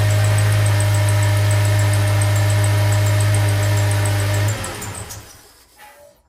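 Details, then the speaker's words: Honda VTEC engine (2.4 or V6) after fixing the 1–2 second cold start-up rattle: steady, even hum with low drone and no start-up rattle; clean, normal cold start. "Well, now you know, it's fixed, simple to do. And it's simple to do, but you got to be careful."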